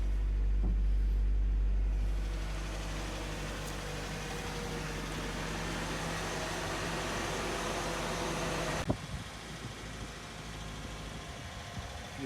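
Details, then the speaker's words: 1987 Nissan D21 hardbody four-cylinder with 53,000 miles, sat 30 years with seized motor, after tapping the stuck TBI throttle free: settles into a steady, even low idle with no knock or miss. "okay so after sitting for 30 years with a stuck motor it's running going to burn off all the junk in it"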